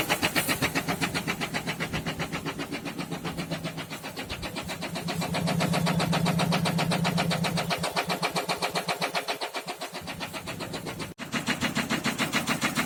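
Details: SsangYong Kyron D20DT diesel rod knock at idle: sharp, evenly spaced knocks about four a second over diesel clatter, cylinder four, from oil starvation after the mechanical oil pump failed; no warning lights or diagnostic codes.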